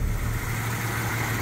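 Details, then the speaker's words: Jeep XJ Cherokee at hot idle after a new oil pan and gasket, rear main seal, connecting rod bearings, upgraded oil pump and new pickup, with good oil pressure: low, steady, even hum with no knocking or tapping; runs like new. "this baby is purring like a kitten"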